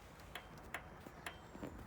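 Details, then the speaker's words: Royal Enfield Classic 500, ignition on, no crank: faint sharp ticks about every third of a second as the starter relay half works, with no voltage at the starter; faulty starter relay. "can actually hear the relay half working but no voltage and when i press the starter button nothing at all no voltage"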